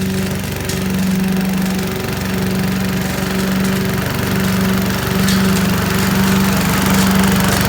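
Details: 1980s Billy Goat vacuum after draining stale gas, started after several pulls, possibly low compression: small single-cylinder engine runs at a steady even buzz with no misses or rattles; normal running.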